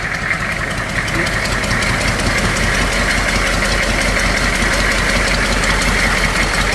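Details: Humvee H1 6.2 diesel idling with the intake manifold off, after a fuel injection pump rebuild kit to cure a fuel leak; loud, even clatter with no stumbling or misses, running normally.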